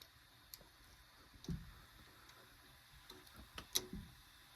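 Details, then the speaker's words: Old electric water heater on 240 V, just after its reset button is pressed and while it starts heating; perhaps about 2 hours to fully heat. Faint, irregular light ticks roughly every couple of seconds in a quiet room; normal warm-up. "Sounds like this guy's heating up. Electric water heaters, I guess they could take about 2 hours to fully heat up."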